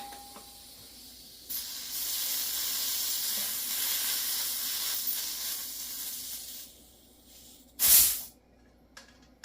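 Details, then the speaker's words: SodaStream CO2 cylinder filling: steady high hiss about five seconds, then a sharp gas burst; owner unsure but suspects a slight O-ring leak at the fill adapter, never replaced or lubed, and tries olive oil on it. "Sounds like my O-ring might be leaking just a little bit. Not sure."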